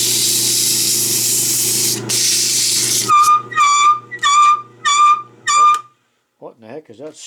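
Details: Belsaw lapping machine, after electrolysis rust removal, lapping with coarse emery cloth: a laboring motor hum gives way to about five sharp squawks, roughly two a second, like dry rubbing; squawking, cause unclear.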